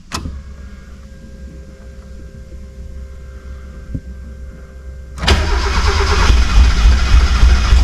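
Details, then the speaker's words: 1991 Mazda Miata said to have run when parked but was knocking: low, steady cranking at about 3.5 beats a second that never catches. Only the centre two injectors spray and wiring is proven good by swapping plugs, so injectors 1 and 4 are bad; a new set was ordered. "still only getting fuel out these Center two injectors so I know the wiring is good so we got a bad injector on number one and a bad injector on number four"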